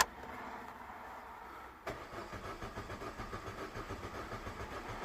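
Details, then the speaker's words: 2006 Vauxhall Astra 1.4 petrol, in for ABS fault: click, then starter cranks with even pulses but never catches; pump voltage now present, fuel light on, crank no-start. "there we go we have voltage which we didn't have before but it's still not starting and now the fuel light is on"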